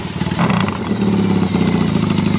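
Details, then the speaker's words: 1982 Yamaha XS650 Heritage Special twin, stored 3 years with a no-start, now running after a DIY "Gonzo" TCI ignition mod replaced the broken TCI; steady putter just under 1,000 rpm, no misses; normal idle. "Idling right under 1,000 for 3 years without a start. This thing's ready to cruise."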